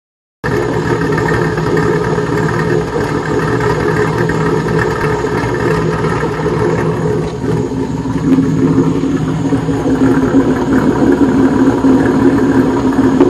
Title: Rough idle